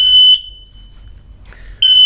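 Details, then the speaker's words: MatElec smoke alarms, hardwired and wireless, triggered by smoke: piercing high-pitched alarm bursts about 1.5 s apart as the other alarms join in; clearing the smoke silences the hardwired ones, the wireless ones keep sounding. "so bit of smoke going into it starts flashing red and starts going"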